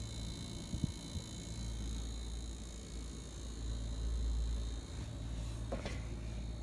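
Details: LG refrigerator giving a steady low buzz and hum with a faint high whine and a few small knocks; the owner asks what causes this buzzing vibration.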